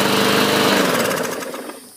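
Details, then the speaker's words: 2014 Murray 500E 22-inch mower with a 5 hp Briggs & Stratton, after a carb clean for water contamination and plugged jets, a new air filter and a used recoil: runs with a quick, even beat, then coasts down smoothly with no knocks. Normal running. "great sounding machine this should sell rather quickly"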